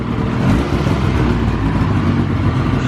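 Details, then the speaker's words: 2000 Ski-Doo Grand Touring 600 two-stroke snowmobile, after sitting outside 3+ years, carb cleaned and battery charged, running a steady even drone with no pops or misses, track suspended; runs cleanly. "Carb clean, I charged battery, fired right up. Could not ask for much better than that."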